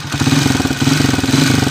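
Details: 2017 Smash 115 timing-chain motorcycle that vibrates heavily, smokes and burns oil: small single-cylinder engine at fast idle with loud, rough, rattly noise; engine to be refreshed, cause not confirmed.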